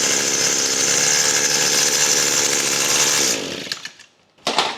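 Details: Echo SRM-225 string trimmer after repair work: high steady buzz holds at speed, then cuts off cleanly when switched off; kill switch now working.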